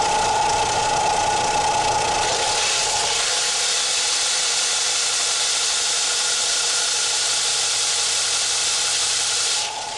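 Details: Harbor Freight Central Machinery 4x36 belt and 6-inch disc sander, 3/4 hp motor, after loosening the motor mount bolts and moving the motor back to stop belt stalling: steady high whir holding speed under load, no bogging.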